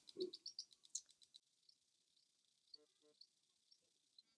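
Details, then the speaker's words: Tandem Mobi insulin pump filling the infusion set tubing during a site change, repeated fill rounds before drops appear: faint rapid high clicks in a burst, then sparse ticks; normal priming clicks. "so you can hear that clicking that's the insulin going through the tubing"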